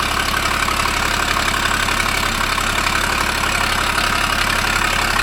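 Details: 2012 Ford Falcon FG XR6 Turbo at steady idle; fast even puffing tick over the engine note, exhaust gas escaping from a leak.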